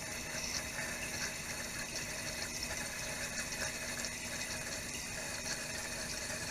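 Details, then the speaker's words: Toilet (commode) tank heard from another room: steady hiss of water refilling with no flush first, because the worn flapper leaks water out, the float drops and the fill valve refills; a ghost flush, fixed by replacing the flapper. "Okay, I think I just heard it ghost flushing from the other room. Actually, it's not flushing. Water's leaking out and the float goes down, so it starts refilling. That's the sound you hear, is the water refilling, not an actual flushing."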